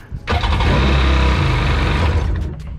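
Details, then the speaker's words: Auction non-runner Sea-Doo GTX direct-injection jet ski, roughly 950–1000 cc, out of water with hoses unconnected, run only briefly after repair: catches after brief crank, steady even run, no misfire or knocking; starts fine. "you can't leave it on for too long because i'm not done any hoses at the moment and i can't connect it for too long but she seems like she's starting fine"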